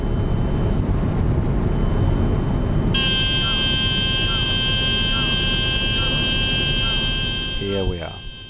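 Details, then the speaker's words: Pilatus PC-12 NGX in slow flight with flaps at maximum, high pitch angle, airspeed decaying to about 60 knots; steady high-pitched horn over engine and airflow roar; stall warning horn. "lowering the flaps even further now down to the maximum and in a moment from now you can already see the pitch here it's quite a it's quite an angle and you will hear the stall warning in a moment when we go down to as little as 60 something knots"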